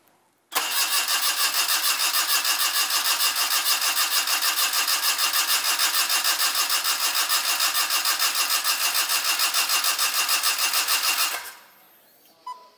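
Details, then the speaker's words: Daihatsu-engined midget race car on a Haltech ECU with spliced wiring loom: steady fast starter cranking, never fires; cranks no start, fuel present but suspected no spark, coil power via the loom suspected. "we got fuel but I don't think we have spark so that's the next thing we have to solve"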